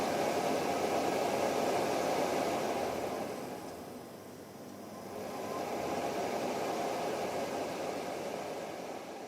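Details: Repaired Moskvich 410 heater blower motor (commutator cleaned, brush springs stretched, grease renewed) on bench supply swept roughly 4–14 V; strong airy whoosh, easing off briefly then picking back up, no squeak or rattle; normal running.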